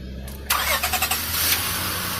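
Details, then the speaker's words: Auction-bought vehicle with almost 400,000 miles, restarted after shutoff: brief crank with a few quick churns, then catches cleanly into a steady, even idle, purring; normal start. "And look at this, it's purring."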